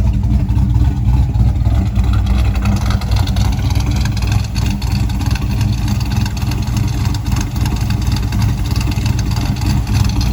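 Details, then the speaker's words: 1985 Chevy C10 cammed small-block V8 converted to ACES EFI, not yet tuned: lumpy, loping idle with a choppy cam rhythm, steady with no misses; sounds better than it did on the carburetor despite occasional searching. "Yeah, it sounds better on the EFI than it ever did with the carburetor."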